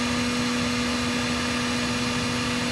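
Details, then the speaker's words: RV refrigerator cooling fans in a slide-out with side vent, after swapping to two new small replacement fans to cut noise: smooth airy whir, steady low hum, no ticking; both fans running normally, though airflow may be insufficient. "there's both fans running anyways that's a swap and for some reason these two small fans don't push enough air"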